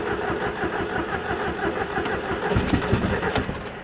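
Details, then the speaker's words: Crash-damaged Audi TT being rebuilt, first start after waiting for parts, with new catch can and induction kit, no exhaust fitted, out of gear on axle stands: cranking stumbles then catches to loud open idle; back to life. "Oh, nearly. She's back to life."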